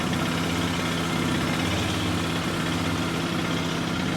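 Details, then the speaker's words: 2006 Can-Am Outlander 800 ATV running after its fuel pump was replaced: steady loud idle with coarse metallic clatter. The owner is unsure whether this engine normally sounds like this. Loud clattery idle. "It sounds loud and clanky in there. I mean, is what it is, but"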